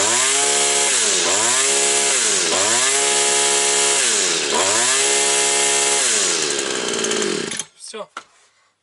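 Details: Petrol brush cutter that had been starting then stalling, after carburetor work and lapping; piston about 50% worn. Small two-stroke revs high and clean, blipped about three times a second, and holds speed without stalling: running fine.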